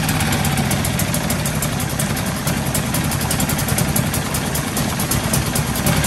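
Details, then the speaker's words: New Hangkai 6.5 hp four-stroke outboard, first start in water barrel after priming and choke: fast steady buzz well above normal idle; idle speed screw pushed too far in from factory, later unscrewed; high idle speed. "another thing is how high it was revving up and this idle speed was was pushed way way way too far in so i unscrewed it some and it seems to be fine now"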